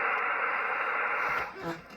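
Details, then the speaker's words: Yaesu FT-101E transceiver: steady receiver hiss suddenly drops to near silence after about 1.5 s; intermittent receive dropout, owner suspects a dirty relay. "the radio just got quiet you hear that so something is dropping down on the radi itself and there's still an issue with this radio"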